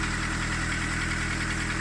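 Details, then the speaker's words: VW Polo 16v donor engine with a worn starter motor: fast, even light tapping over a steady idle, keeping time with engine speed, seemingly from the top end. "that seems to be coming from the top end not too worried about it"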